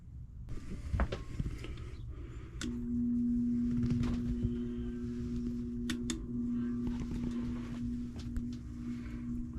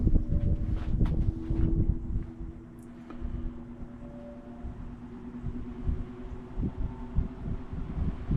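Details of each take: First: 1949 GE Vortalex 16-inch fan, unused over a year, started cold: steady low hum holding one pitch as the fan struggles to spin up; owner suspects cold, thick oil makes it slow to start. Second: 1949 GE Vortalex 16-inch fan, unused over a year, cold-started, now at speed on high: steady low motor hum at even pitch under some wind and handling noise; runs smoothly and healthy.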